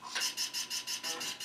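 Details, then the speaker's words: Retro PC booting from a freshly made MS-DOS boot floppy with Legacy USB support enabled: rough high-pitched rasping scrape about five times a second while the drive reads. Sounds nasty but boots successfully; cause unknown. "oh that doesn't sound good at all"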